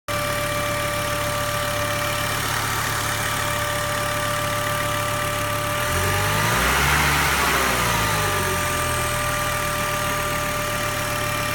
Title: Volvo 850R outo ääni moottorista / weird noise engine